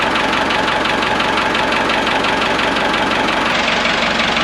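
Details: Ford 5600 tractor diesel idling after injection pump removal and reinstall to cure a leak: even, rapid clatter at steady idle, no miss or uneven knock, no leaks; sounds as before, so injection timing is about right.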